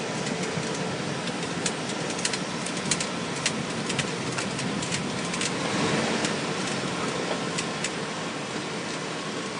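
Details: 2000 Cadillac Escalade, about 175,000 miles, creeping and driving slowly: light irregular clicks over a low vehicle hum from a failing transfer case, previously found dry; whole transfer case was replaced.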